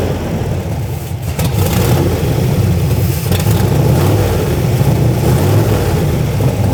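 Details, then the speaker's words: 1963 Corvette Split Window V8 first running in about 40 years, ignition timing thought too far advanced: loud, deep, irregular running with no steady idle. Rough running, cause unconfirmed. "basically right now the car runs which is a huge plus compared to the last time we were here it wouldn't run really at all by itself by itself so it runs a little bit by itself which is good"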